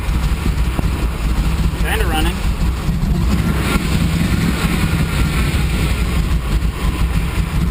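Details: 6.0 V8 in a Blazer on start after a lot of work, running rough and loud at idle with a heavy rapid clatter beneath the exhaust rumble; metal found in oil, spun bearing suspected, not confirmed.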